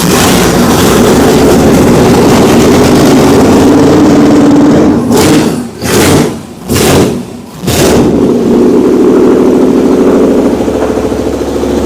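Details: Oldsmobile Cutlass V8, motor built in 2008, first fire-up in years after a timing bump: lumpy, even idle with a few clean throttle blips that rise and fall freely. Sounds healthy, no leaks.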